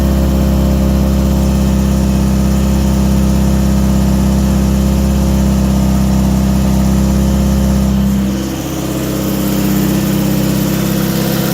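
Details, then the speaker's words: 1986 Toyota MR2 Mk1 with cold-start trouble, cold start injector replaced and timing reset; cold idle with faint irregular popping from exhaust/engine bay and tone drop near end, puffs of smoke when warmer; cause unclear. "you can hear the kind of popping a little bit from the engine bay but once it's warmed up more and it's not on the cold start you can you could see the smoke coming out that'll come out a little and puffs it'll make a popping noise I'm really worried about that"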